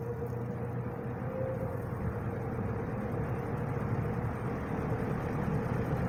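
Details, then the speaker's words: Wizard box fan, windings and capacitor look good, starting on low speed: low steady motor hum with faint tone near 500 Hz and soft airflow, comes right up to speed, no buzz, grinding or loud windings; normal startup. "i mean it it starts up it comes right up to speed there's no hums no loud windings or anything like that"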